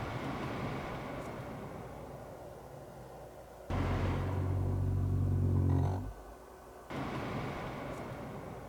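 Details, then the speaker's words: Lexus CT 200h A/C blower under the passenger glovebox, new fan replacing an old one that rattled and hummed, switched off from speed: steady low hum winding down smoothly with no grumble or rattle, blower healthy. "so what i think i'll do is i'll just cut the old fan turning off in now and now i have the new fan turning off"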